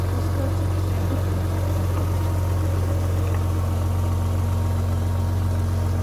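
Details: Rover 800, about 85,000 miles with full service history, first start after standing unused for years: deep, even idle with a steady low beat about two and a half per second, no misses or knocks; normal idle.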